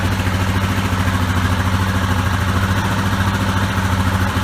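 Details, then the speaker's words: Yamaha Grizzly 660 ATV single-cylinder idling after throttle cable replacement; deep, steady thump with even pulses, no hunting or clatter, throttle returning cleanly: normal, smooth idle. "sounds like it just's working good down baby"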